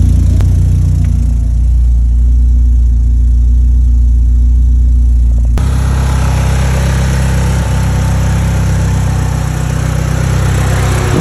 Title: Little exhaust leak still.Head gasket and head studs install.No more smoke! 🎉#automobile #cartok